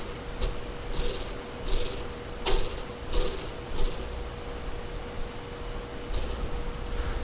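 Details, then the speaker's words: 1993 VW Cabriolet transmission disassembled to find a noise: a hand-spun bearing gives gritty, rasping bursts; the bearing is definitely bad. "if you can hear that I set bearings definitely bad and that's the retainer that holds it in the case"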